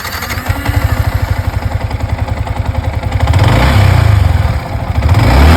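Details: Yamaha MT15 at 73,853 km after engine rebuild for crank noise: catches into a steady beat, then revs smoothly and strongly with no knocking or rattle from the crank; normal start and rev after repair.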